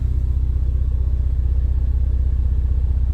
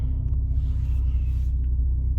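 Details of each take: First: 2018 Ford Focus ST after swapping the Mountune rear motor mount for a CP-E Stage 2, idling with air conditioning on: low steady drone with a faint regular throb, noticeably more cabin vibration than the Mountune mount but not bad. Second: 2018 Ford Focus ST idling 468 miles after replacing the Mountune rear motor mount with a CP-E Stage 2 mount: a steady, low, even rumble with no shaking, knocks or rattles; normal idle.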